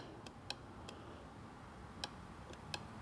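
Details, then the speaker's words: BMW fuel pump, removed, grounded and powered directly, tank holding possibly old gas that may have clogged it: only sparse, faint dry ticks with no motor whir building up; the pump clicks under power but never spins, so it has failed. "you can actually feel it like clicking in my hand so yeah pumps junk there we go problem solved"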